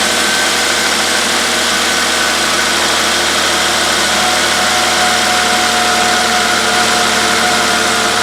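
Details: Volvo XC90 3.2 L six-cylinder, started after spark plug and ignition coil boot replacement (oil found in some plug wells); steady, even idle hum with no stumble or missed beats, idling normally.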